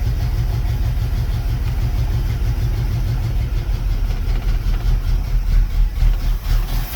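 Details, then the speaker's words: 1974 Pontiac Ventura V8, original engine, 83,000 miles, rebuilt Edelbrock carb, first start after 3 years on old fuel, cold with choke on: deep lumpy chugging idle that surges; rough cold idle, fuel starvation. "Think we could back that choke up a little bit. It's really chugging."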